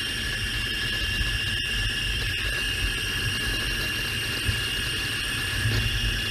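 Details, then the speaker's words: Mercedes E500 4Matic, chassis-ear microphone on the front transfer case while driving: several steady high whining tones over a low rumble, even with no growl; they do not match the cabin deceleration whine, so the transfer case is normal. "none of it matches the sound that i get in the cab cabin while i'm driving into acceleration"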